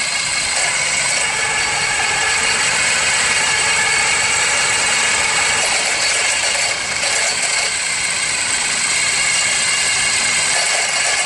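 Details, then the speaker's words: Running engine heard through a screwdriver held on the alternator: harsh, hissy metallic rattle with a fast ragged rhythm, likely a broken bearing letting the alternator's internals rub the housing off-centre. "yeah every time it starts to Rattle you can hear it big big time in here just magnified okay and that's how you check for a noise"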